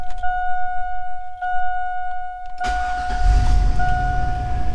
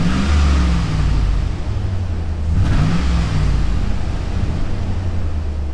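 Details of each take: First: 2000 Chevy Tahoe 5.3L V8, previously misfiring on cylinders 7 and 8, just after new platinum plugs and wires: catches cleanly after a short crank and settles into an even idle, no current misfires; normal start and idle. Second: 2000 Chevy Tahoe 5.3L LS V8 revving and settling with an uneven, stumbling low beat: heavy misfires on cylinders 7 and 8, the back two, from rich running, with a coolant temperature sensor circuit high-voltage fault and an erratic temperature gauge.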